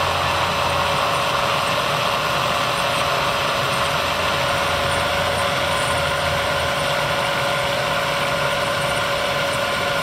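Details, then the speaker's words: Bridgeport 2 HP vertical milling machine (9" x 48" table, variable-speed head 60–4200 RPM, R8 spindle), quill power feed run at fast, slow and medium rates: steady motor hum, then the feed knocks off cleanly at the stop, a normal disengagement. "As you can see, this is your fast, this is your slow, and this is your medium. And as you can see again, it'll come down and knock off flawlessly."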